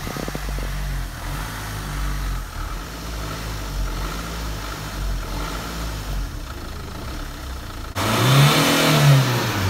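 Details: Engine running after a loose battery cable was fixed: low, steady hum swelling louder near the end as it picks up, running evenly with no misses or knocks; now starts and runs healthy.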